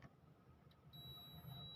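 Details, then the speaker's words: Zener diode checked with a multimeter in continuity mode: a steady high beep sounds and holds with the leads either way round, so the diode is short-circuited. "See, you can see it giving this sound. So it is short circuited."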